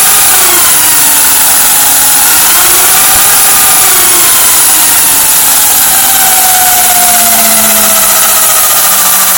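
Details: HPI Vorza RC buggy after front diff rebuild (diff case broke in a crash) and new tower: high gear whir rising and falling with throttle over motor hum, louder than before; drivetrain noise, source unclear.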